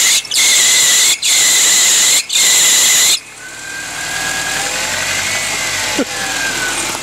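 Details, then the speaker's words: Power steering pump whine on a Subaru Forester running with the A/C belt removed after the belt tensioner bolt broke: high wavering whine rises over the idle each time the steering is cranked back and forth; pump failing. "well we know what the next problem is your power steering pump's going out that's unfortunate"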